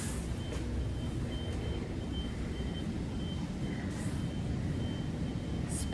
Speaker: there's a flashing light in there and that little alarm beeping and that's coming from this danger dangerous